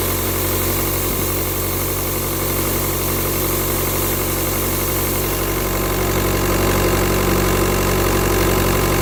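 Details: Diesel idling steadily with a constant airy hiss over it, like a boost or vacuum leak; turbo tested with VCDS without locating it, owner suspects pressure loss somewhere (turbo, EGR or vacuum pump suspected), source unconfirmed.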